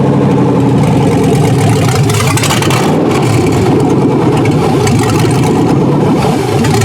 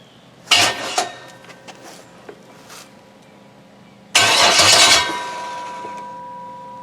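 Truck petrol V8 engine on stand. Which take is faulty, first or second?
second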